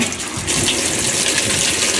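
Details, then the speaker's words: Kenmore 80 Series washer fill on a large-load cold setting during first test after pulling it from a basement: steady, even rushing hiss of water into the tub, filling normally. "takes water so we'll let it fill up we'll see what happens"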